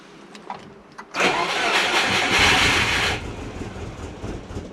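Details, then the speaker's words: Turbo Subaru Forester, Haltech Elite 550 after firmware update where some tables and settings didn't transfer: cranks and fires with short rev flare, then sags lumpy and uneven, won't hold idle; rough idle, stalling. "Doesn't want to idle."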